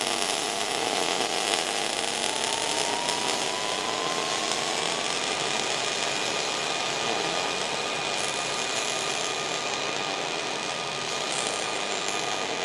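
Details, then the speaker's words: Rockmount ER70 MIG wire running traditional short-circuit transfer, for comparison with Polaris Max Shield Pro dual-shield spray-like wire; steady even crackling sizzle with no pops or sputter gaps; normal MIG short-circuit transfer. "Now we're going to run some ER70. Listen to the difference. You'll definitely hear the difference between a spray and a traditional short circuit."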